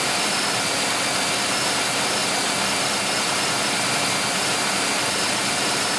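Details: 1995 Oldsmobile 3800 V6 with 138,000 miles, first start after timing chain and timing cover leak service with fresh oil and coolant, cooling system still bleeding: even, steady hum with a hissy wash, no knocks or surging; normal idle.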